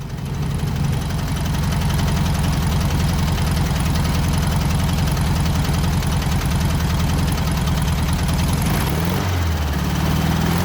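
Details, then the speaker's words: 1967 VW Beetle four-cylinder engine revived after sitting, running after bad old fuel was found to be part of the issue and warming up: lumpy, uneven fast idle, running on three cylinders with a heavy irregular knock that doesn't sound like the bottom end; cause unconfirmed. "You know, I can definitely hear that we're running on all of 3 cylinders. There's a pretty bad knock sound, but it doesn't sound like bottom end."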